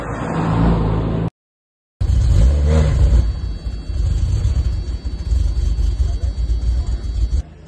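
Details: BMW M5 E60 after engine rebuild, won't start or run properly, smoking: catches and revs unevenly with ragged stumbling pulses, power drops and a brief cut-out; rough misfire.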